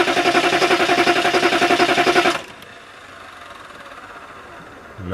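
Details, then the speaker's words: Diesel after a fuel filter change, battery down to one bar of three, bleeding the dry filter: starter churns about four turns a second for two seconds, then stops with no catch; owner suspects air in the fuel system. "guess because the filter is dry it's got to fill up diesels don't like air"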